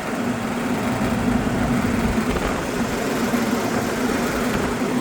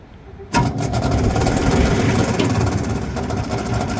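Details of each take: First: Exhaust fan motor rated 3.02 A, drawing 2.0 A, running counterclockwise after being found off at the breaker for an unknown reason: steady hum with even airflow rush and slight vibration, no knocking or squeal. Normal running. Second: Exhaust fan after a belt check starts with a fast, uneven scraping rattle as the wheel rubs on something; its bearings also sound bad as it slows down.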